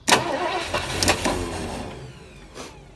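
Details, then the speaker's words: 1973 Ford Econoline with 302 V8, C4, parked 7+ years, started via jumper to solenoid with fuel line disconnected: uneven churn cranking a couple of seconds, never fires; no fuel coming out of fuel line. "it won't run because i have the fuel line disconnected so there's no garbage going in it but we'll throw a little more gas in and i'm not getting any fuel out of the fuel line either"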